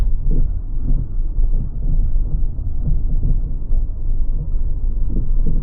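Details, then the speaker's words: 2003 Toyota Avalon on a test drive: dull, uneven thumps about every second over steady road rumble, a very clunky noise from the rear, alongside a steering wheel shimmy; cause not yet inspected. "The steering wheel has a little shimmy shake to it. Peek a gander at the steering wheel right now. She's got quite the shimmy shake. And there's a rear clunk noise."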